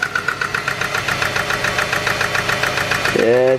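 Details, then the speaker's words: $300 SN95 Mustang worn-out V6, restarted after hard driving: uneven idle with irregular ticking pulses about three per second and lumpy beat; running rougher than before, cause unknown. "now she's running a little rougher I don't think she's got much more life left in her so let's start her up yeah she's running a little rougher guys I don't know if you can tell but"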